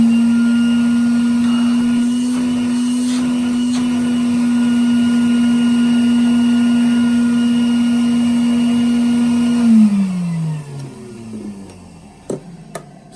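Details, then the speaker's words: Restored 1961 Bylock coffee table vacuum cleaner motor after repair, bag inflating: smooth, steady hum at an even pitch for about ten seconds, then a clean wind-down at switch-off; it sounds much better than before, a healthy motor. "and as you can hear that whines damn so much better than what it does"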